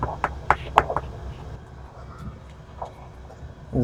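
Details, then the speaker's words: 1990 Hans Christian 48T solid fiberglass sailboat hull bottom being tap-tested: sharp, ringing taps turn into softer, dull thuds where the echo disappears over a delaminated patch. "Here we are tapping the hall to find delamination. Listen closely for when the tap becomes a thud."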